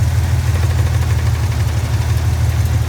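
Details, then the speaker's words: Idling engine with a light, fairly quick tapping over a deep hum that sounds like rod knock, but it is the loose plastic flywheel cover under the car contacting the flywheel; fix is securing it with the right screws. "you know it sounds like a rod knock but do the right things put the right screws in take care of that you might want to check that because i was hearing that noise earlier i said what the hell so it is a flywheel cover noise"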